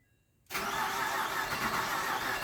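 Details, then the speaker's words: 2010 Ford Fusion 3.0 Duratec with 6F35 transmission, after engine and transmission swap, key sticking in run: steady cranking with an uneven beat and a few weak firing hits, never picking up; hard start, possibly battery. "it may be battery it sounds like it's trying to start yeah i hear it hitting okay"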